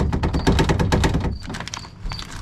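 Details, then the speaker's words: Ford truck door (Bronco/F-series, 1980–1997): fast, tinny rattle of tightly packed clicks, then faint squeaks, from a loose riveted metal brace between inner and outer door under the vent window; fix by drilling out and replacing the rivet, adding self-tappers, or wedging kill mat in. "drill that rivet out and replace it, or put some self-tappers on either side of it, or wedge some kill mat between the bracket and the door, and that should absorb it."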